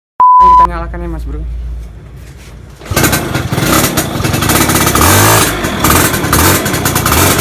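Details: Two-stroke motorcycle (Poswan/VJR) after fitting an RC CDI and rewiring, magnet direction reversed: short beep, fires at about three seconds and settles into steady, even running with crisp exhaust; normal.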